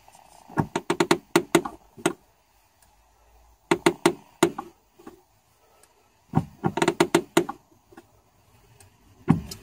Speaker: today I'm going to be trying to deal with a creaky clutch pedal so this is the noise that the clutch pedal makes